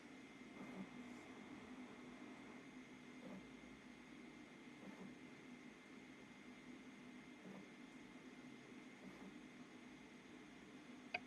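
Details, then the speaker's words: 3D printer extruding PETG filament left for months in humid air: faint irregular pops and crackles about every second over the printer hum as moisture boils in the hot end. It isn't under-extruding yet but doesn't feel like it's pulling the filament. "can you guys hear that the popping and so far it's not undere extruding just doesn't feel like it's pulling the filament it doesn't feel very happy"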